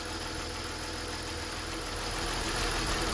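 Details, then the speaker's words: BMW M54 petrol engine (car burned over 1 litre of oil per 1000 km) idling with oil filler cap removed: idle turns uneven and shaky, misfire-like, smoothing when cap is refitted; cap lightly sucked down, indicating sealed crankcase vacuum and working ventilation valve. "zaczyna nierówno pracować, trzęsie się, widać, jak drży."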